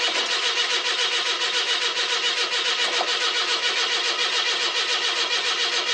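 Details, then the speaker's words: 42-year-old carbureted car with old mechanical fuel pump, cold start: steady cranking nearly two turns a second with no firing; no-start as fuel evaporated from the carburetor float bowl. "The last time I tried starting her, needed to put a little bit of fuel in the float bowl. But we'll see what happens. It'll take a bit to get the fuel up to the carb."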